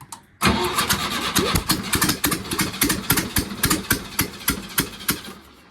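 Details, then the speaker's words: VW Wizard started on ramps with no fuel tank, no accelerator cable and no exhaust fitted; cranks, catches, then loose uneven popping bark at idle, loud because there is no exhaust. "that's cuz he's no exhaust on it that's why he's loud"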